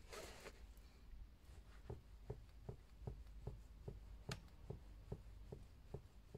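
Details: RockShox Super Deluxe rear shock cycled by hand: soft hollow knocks, about twice a second, under small rapid compressions only. It is traced to the damper circuit (not the air can or IFP); a high-flow "Hot Dog" damper piston replacement is suspected as the fix.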